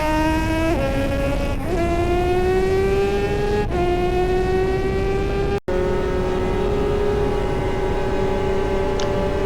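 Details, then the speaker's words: Two-stroke racing motorcycle at Snetterton CRMC round 3 during a race, rider first suspected gear-change issues: howl climbing through gears, broken by sudden cut-outs and abrupt rev jumps; worn gearbox jumping out of gear under load. "obviously the issues that I thought were with my gear changing turned out to be a worn gearbox, and you can hear the gearbox starting to play up and jump gears in this race."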